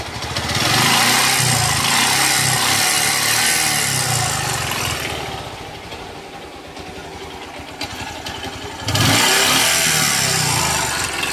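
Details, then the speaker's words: Bajaj Pulsar 150 single-cylinder motorcycle before a full engine rebuild, smoking, with a wet, carboned silencer: engine revs harshly, rough, loud and clattery, in very bad condition. "बहुत ही बेकार condition में है engine तो भाई को हम start करते हैं और इंजन की आवाज़ आपको सुनते हैं"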